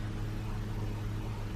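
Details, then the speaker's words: 2018+ Buick Enclave after rear brake pad and rotor replacement, taken out of service mode with foot on brake and parking-brake button held: a low steady motor hum for a couple of seconds as the rear electric parking brake actuators engage; normal. "And then once you hear it engaging, you can release your foot off the brake and off your finger off the button, and the calipers will engage and tighten and then retract once they hit the solid surface."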